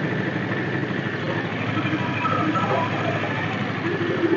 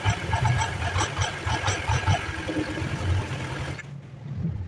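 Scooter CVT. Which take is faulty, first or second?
first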